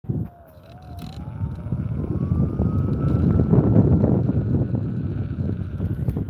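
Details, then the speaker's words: Sherman S electric unicycle, first ride, whine noticed while riding: thin high-pitched whine climbing from about 700 Hz toward 1.3 kHz with speed over road rumble; rider unsure if stock to the suspension or caused by earlier testers. "It makes like this weird high-pitched whine that's kind of annoying. I don't know if that's stock on the Sherman suspension or if that's something that one of the other testers may have caused to happen before I got it."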